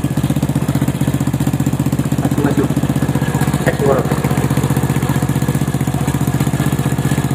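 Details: Honda Supra motorcycle after replacing the worn cam chain and loose chain guide, tensioner reused, valve clearance 0.05 mm; even, steady idle thump about four beats a second with no ticking or rattle, noise gone.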